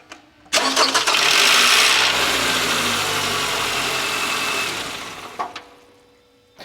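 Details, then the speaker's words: 2009 Toyota RAV4 2.5L 2AR-FE on a cold start: a harsh, brief metallic rattle from the intake VVT-i cam gear, fading into a steadier idle after a couple of seconds. "now this engine has a notorious problem for rattle and cold start"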